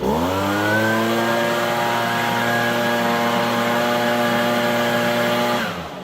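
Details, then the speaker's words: Echo PB-250 two-stroke leaf blower fully warmed up after carburetor replacement, fresh fuel with premix: strong, even high-revving full-throttle buzz with no bog at the top, then clean wind-down at kill switch; healthy. "It should rev up nice and clean like that. You know, it shouldn't be boggy at the top. It should be really clean and even when it's fully warmed up."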